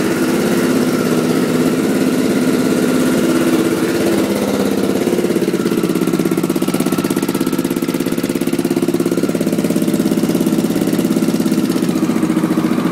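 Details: 1986 Honda XL600 single-cylinder idle after new exhaust gaskets: lumpy idle with an extra sharp puffing tick on the firing beats; owner suspects and hopes it is an exhaust leak, source unclear.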